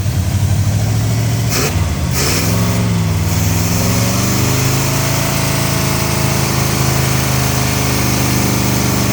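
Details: 1970 Oldsmobile Toronado 375 hp 455 V8 revived after years of storage: deep rumble revs briefly, then a slightly lumpy idle as if one cylinder isn't pulling its weight; suspected, unconfirmed, compression test planned.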